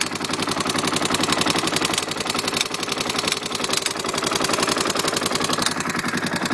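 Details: KTM LC4 single at idle: sharp metallic ticking about three to four clicks per second over the idle, from the manual decompressor, which was left unadjusted during reassembly.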